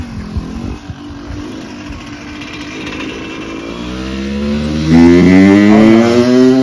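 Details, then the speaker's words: Yamaha YZ125 two-stroke dirt bike revived but not running right: revs climb unevenly with a ragged, stumbling crackle and never clean up; owner suspects a broken or stuck power valve; rough running. "oh man that thing sounds like I don't know what it sounds like yeah it sounds bad and that that was the uh that was the reason I I wanted them to come out here cuz I got it to run but it don't run right"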